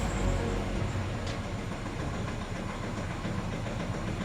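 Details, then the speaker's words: 2019 Nissan Terra automatic after scanning and injector coding: steady, even diesel idle with a low rumble and no stumble. The earlier vibration and engine shake are gone, so this is a normal idle after repair. "nawala na iyung vibrate nawala na yung nginig niya sa makina"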